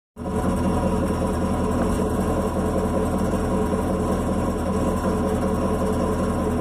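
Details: Chevrolet Camaro SS V8 idling with a light steady metallic rattle over the rumble; touching the exhaust valve with a stick showed no vibration, owner guesses the AFM valve, source unconfirmed.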